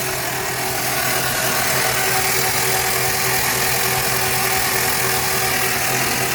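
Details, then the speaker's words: 1960 FB engine (old grey motor) for a 1961 ute, cranked over on a crude test setup: even churning about three beats a second with no heavy knocks; no bad knocks anywhere, normal cranking. "well doesn't seem to be mad death knocks anywhere so that's step one"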